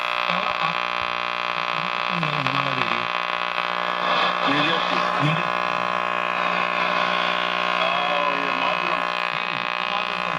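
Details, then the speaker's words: Air King model 4607 tube radio, tubes tested good, just switched on: steady low hum with hiss and faint wandering whistles and no station yet while tubes warm up for a few minutes; static and hum during warm-up. "You're going to hear a lot of static, and it takes a few minutes for anything to show up on the, for the radio to actually come alive."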